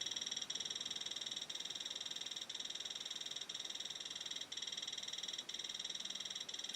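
Dense, fast high-pitched chatter with a steady pulsing pattern; the counter is responding normally to a strong radiation source.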